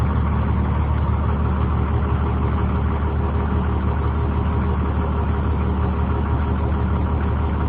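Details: 2003 Blue Bird 26-foot short school bus camper, International diesel engine, automatic transmission, listed 200,000: deep smooth diesel idle holding a steady rumble with no knocking or stumbling; normal idle.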